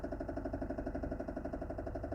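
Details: Mazda Xedos 9 at idle, heard clearly in the cabin: fast even knocking over a steady idle, revs steady and rising freely on throttle; source not yet found; engine knock at idle.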